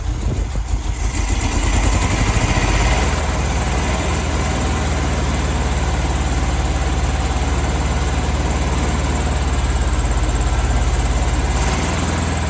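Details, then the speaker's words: 1972 VW Beetle 1200 air-cooled flat-four warming up on its first run in two years. Uneven loping idle with a missing pulse and a backfire; cylinder two is not firing, and its mangled spark plug is suspected. Misfire on one cylinder. "that's better so cylinder two this one's not firing properly what's the backfire so yeah cylinder two is not working i'm not firing properly"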